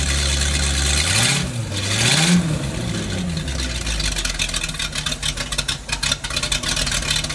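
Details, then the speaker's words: Boat motor on a temporary fuel line through a water-fuel separator, carburetor primed, catches and revs up then drops to a slightly uneven idle; starts easily and keeps running normally. "I only wish most of my cars started that easily"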